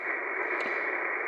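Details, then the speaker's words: Tacoma truck radio with a whip antenna, grounded, with a mix 31 ferrite choke on the lead: a steady, even receiver hiss with no buzz or whine. The S9+ noise is gone with the truck off, so the noise floor is clean. "turn the truck off and the noise is gone"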